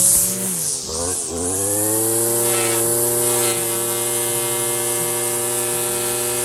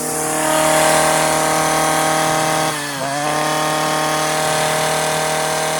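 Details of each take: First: Stihl FS56 residential string trimmer cutting tall, thick grass: as the string shortens against a fence post, revs climb quickly and hold a clean, steady high whine. Normal full-throttle running with no bogging. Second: Stihl FS56 residential trimmer cutting tall, thick grass: high, steady screaming tone at full revs, briefly dips then climbs back. Over-revving because the trimmer line is cut too short.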